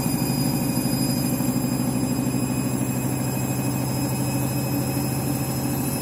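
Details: Washing machine final spin after a very sudsy final rinse, load sensor setting spin speed; loud steady roar and rumble with uneven throb, excessively noisy spin, cause not confirmed.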